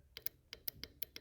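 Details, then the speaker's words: 2003 Honda Civic VTEC solenoid, unplugged and tapped with 12 V and ground (VTEC not engaging, bogging, P1259): sharp clean clicks, about seven in 1.5 seconds, one per tap; solenoid working, fault lies elsewhere. "it's good I mean it's working so your problem is something else"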